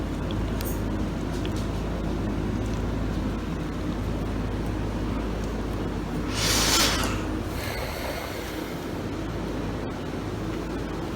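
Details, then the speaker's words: Samsung DW-ADR5061UG dishwasher on a cleaning run for bad odor, recirculating water through the spray arms: steady hiss of spraying water over a low, even pump hum, no grinding or rattle, healthy mid-cycle. "so here's where the noise makes while it's uh doing its spray recirculation on us spray arms"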